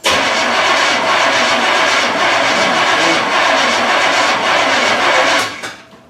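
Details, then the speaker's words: 1981 Pontiac Trans Am Turbo, sat for years with six-year-old gas: steady starter cranking at about four turns a second without catching; fuel system dry, pump still filling filter and carburetor. "There's no fuel up there yet. Right. So just crank it until we get."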